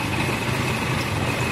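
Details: 2006 Nissan idling steadily with a low rumble, no knocks or stumbles, after repairing the cam sensor wiring connector.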